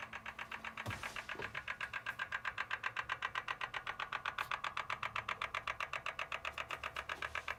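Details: BMW M4 at quiet idle: sharp, even ticking about four per second, steady throughout; engine tick of unknown origin.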